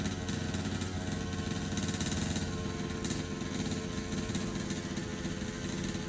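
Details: HPI Baja 5B SS with a rebuilt carburetor on test: small two-stroke buzzing steadily with a quick, even rasp and no stumbles or misses; the carb is feeding it cleanly.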